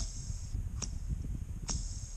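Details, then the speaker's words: Idler pulley removed during viscous fan clutch job, spun by hand: faint high squeak about once a second from a worn bearing; being replaced. "Он начал скрипеть. Конечно, не слишком громко, но оно есть, поэтому мы его тоже заменим."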